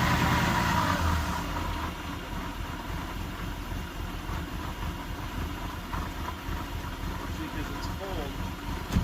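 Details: 1989 Mercedes 190E 2.6 automatic, restarted after cooling off: cold engine idles low and uneven with a lumpy, stumbling pulse under a steady hum; rough until warm, owner suspects the idle module needs adjustment or replacement.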